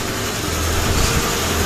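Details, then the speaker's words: Mitsubishi Lancer "Hotdog" car starting and settling into a quiet, low, steady idle with no stumbling or ticking, right after the drained battery was replaced with a new one and the car had sat unused for weeks; normal idle. "So ayan, the engine is running already. Kasi ilang weeks din ito napatigil."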